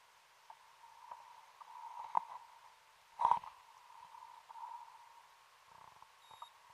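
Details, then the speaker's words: Rebreather oxygen cell warning at 80 m inside the SS Afric wreck: a thin ~1 kHz tone beeps in short bursts under bubbling and breathing. The cells read only marginally apart, so the diver cancels the alarm by thumb. "probably hear the alarm on my rebreather going off again I've had another look at the cells they're only marginally apart so I cancel the alarm with my thumb"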